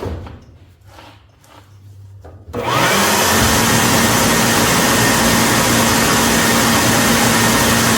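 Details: Whirlpool dryer after drum roller kit replacement: quiet start then steady even whoosh and hum, no grinding or thumping; normal running.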